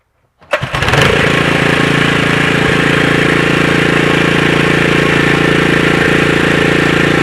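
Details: Honda GX120 small engine, after fitting a new aftermarket carburetor (old carb ran rich, brass tube ports plugged) and taller new air filter: catches within a pull, settles into steady even idle, no stumbling or hunting; normal start and idle.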